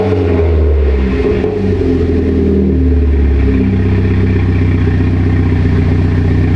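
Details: Mitsubishi Lancer Evolution X after rebuild, new brake lines fitted, fluids being topped off: strong even engine note rising and settling smoothly with throttle, no knocks or misses; sounds healthy.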